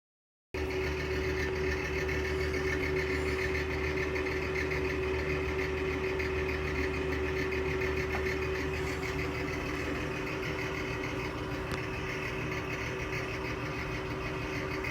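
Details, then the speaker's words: Electric fan with bad, dry bearings that need oil (owner plans to oil it with 3-in-1) running with a steady rough drone and a thin tone above it; bearing noise. "It's got bad bearings. We'll get it fixed one of these days."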